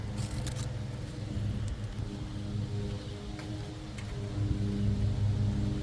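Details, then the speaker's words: CRT23 Chinese mini skid steer, batteries fully charged: starter drags the engine over slowly and laboriously, about two and a half beats a second, sounding like weak batteries; owner suspects starter failure, not confirmed. "Let's just see how this starter reacts. That's kind of what I want you guys to listen to, because to me, the starter just doesn't sound like it's doing its thing proper."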